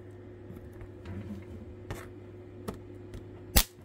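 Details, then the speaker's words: Transformer powering an Nvidia chip salvaged from an old broken motherboard: low buzzing hum with faint crackles, then a sharp pop as the screw leads touch; a high-current short circuit arcing that turns the screw red hot. "oh it popped oh my gosh as you can see here my my uh screw just became red and super hot"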